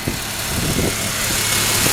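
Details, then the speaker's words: 2001 Ford Mustang 3.8 V6 petrol, steady smooth idle with no stumbles, which is normal. It has a new EGR valve, wires and plugs and the old coil pack tested OK. It sputters only when the throttle is hit suddenly. "sounds okay to me. It's the way I got it. Sounds okay on idle. Totally fine."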